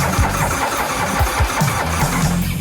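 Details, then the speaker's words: Hot-rod V-twin custom bike, first fire-up after build with fresh gas: starter cranks in uneven bursts but it never catches; crew suspects flooding. "it's not going to fire. My vote is flooded."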